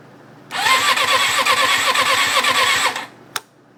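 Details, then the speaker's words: Rebuilt 1994 Suzuki RF600 fed from a separate fuel reservoir: about 2.5 s of steady starter cranking, even chugging beat, never fires; has spark and draws fuel, fuel pump works, owner suspects rebuild error. "it sounds like it's not getting gas but it's clearly sucking up gas um i just don't know what exactly is going on it sparks"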